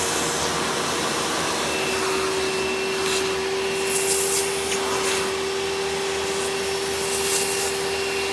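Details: 1997 Hoover Dirt Finder Power Drive U6331-930 direct-air upright vacuum in tool mode with onboard hose: steady, even motor roar, mid-pitched tone and faint higher whistle, no surging or rattles; very smooth runner, normal running.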